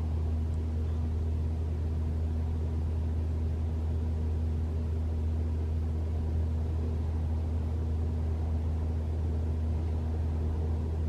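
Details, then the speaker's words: 2021 Toyota RAV4 Prime SE started in EV mode, 45 miles EV range, 46°F outside, heater on, AC off, fan raised to three bars: steady low compressor hum and buzz, no loud heat pump noise; normal. "three bars and no sound okay all I hear is the uh compressor buzzing and humming"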